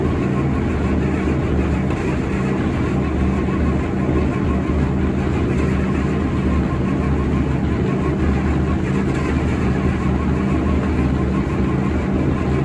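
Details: IH UD-16 diesel power unit on a 1945 Chevy truck, long-dormant, radiator off: cold engine first fires on diesel with an ether sniff, steady low drone, black smoke from #2 exhaust, not yet running on its own.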